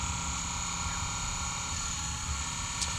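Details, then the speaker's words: Taylor T 450 wood water boiler circulator pump after overheating, steam and water loss, refilled and bled: loud steady hum with hard high whine, no change in pace; impeller failed and just spinning. "all right so my pump is uh something's not right"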